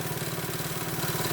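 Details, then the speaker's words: 1973 Honda Mini Trail 50cc single at a smooth, steady idle after the carb was reset (idle and air-mixture screws one turn out). It started a little clunky and improved by the minute as Seafoam cleaned the carburetor; no stumbling or hunting. "As you can see, it's running very well, I might add. But anyway, started right up, a little clunky, and by the minute, literally, you could hear the engine improving"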